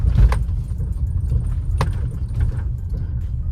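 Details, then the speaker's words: Maruti Suzuki Brezza driven over a rough road: a few faint, sharp knocking clicks over road rumble from a worn, cut lower arm bush. It is silent on smooth road and the highway. "ये जो खटखट बज रहा है ना यही sound है। इसी साउंड के चलते ना इसका लोअर आर्म खुलवाएंगे।"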